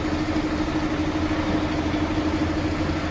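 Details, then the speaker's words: Mercedes-Benz Actros truck diesel at idle, one-by-one cylinder cut-out test: rough knock about twice a second over the engine note; engine knock, cylinders 3 and 4 drop less, nozzles to be checked next; cause unconfirmed. "अगर आपके engine में आवाज है तो किस तरह से आप जो है उसको चेक कर सकते हैं"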